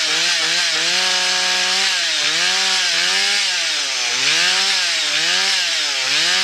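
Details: Husqvarna 1100 four-stroke chainsaw, previously stalling when throttled and oiling the chain poorly, now sorted: revs rise and fall as it cuts wood, running clean without stalling or hesitation. It sounds healthy under load.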